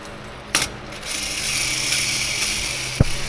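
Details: Eaton Endurant 12-speed transmission removed from truck for clutch replacement: hand-spun bearing gives a dry, gritty rasp with faint ratcheting edge, a rough bearing that should not make that noise; red rust or clutch dust present.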